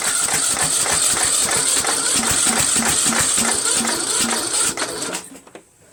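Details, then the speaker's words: Troy-Bilt 1842 Super Bronco lawn tractor repower on choke, with a new 4-post solenoid and a weak battery: starter cranks steadily for about five seconds but the engine never fires; carburetor swap planned. "I'm going to try it again, and if this doesn't work, I'm going to try another carburetor."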